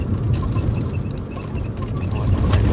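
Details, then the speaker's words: VAZ 2114 driving: faint irregular squeaks over road rumble from the rear seat back latches, creaking like rubbing on glass; before fixing. "скрипит блин вот этот задний диван здесь замки и вот она там все мерзко скрипит"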